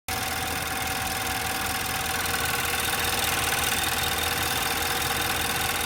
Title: 2012 Infiniti qx56 timing chain noise